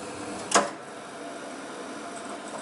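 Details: Ariston dual-circuit (combi) gas boiler knocking on ignition, single sharp click over quiet hiss; yellow chimney lamp lit with 60/70/80° indicators lit; technician found all three electrodes in the combustion chamber covered in soot.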